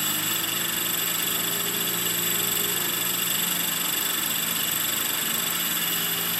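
Steady high-pitched motor and rotor whine with a coarse, buzzing rattle riding through the hover; abnormal vibration, source not yet found.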